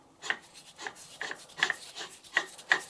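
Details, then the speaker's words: Porsche 911 (996) Carrera 4S alternator, removed, pulley held and turned backwards: dry uneven rasping ticks as the one-way pulley clutch slips, which is normal; these usually seize. Alternator whined when revving, being replaced. "These usually seize solid and that's the problem. So the clutch is just slipping a bit there, which is what it should do."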